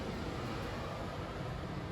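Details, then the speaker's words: 2022 Wildwood X-Lite 28VBXL travel trailer, thermostat switched to heat so the air conditioner turns off and the furnace runs: soft steady rush of air with a low hum, no rattles or squeals, furnace blower working normally. "It'll turn off the air conditioner and turn on the furnace. There you go. So the furnace is going to be moving its air through all the little portals that you have up in the walls there."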